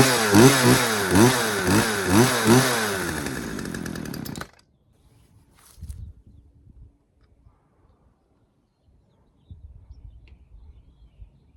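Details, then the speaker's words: Poulan 2150LX chainsaw after repair (new recoil spring, carburetor rebuild, new fuel lines, fresh gas, freed sticking throttle linkage, low and high screws set at 1.25 turns): crisp two-stroke snarl rising and falling through quick blips, revving freely; normal running. "All right, so there you have it, guys. We got the Poulan 2150LX super clean up and running."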